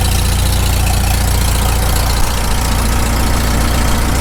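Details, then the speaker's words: Farmall Super M tractor cold idle right after first start following full rebuild, initial carb settings, muffler warming: steady low thumping, slightly uneven while cold, no knocks or grinding; no knock heard, engine healthy. "it doesn't idle down too bad given just it's the initial carb settings i can't hear any knock"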